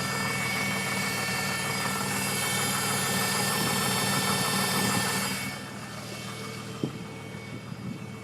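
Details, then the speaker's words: 2005 Nissan Maxima petrol engine running with a steady thin whistle over the motor noise, seeming to come from near the oil filter area; owner was told it is not the timing chain. "what this little whistling sound is bothering me doesn't go away it's not a timing chain that's what they told me"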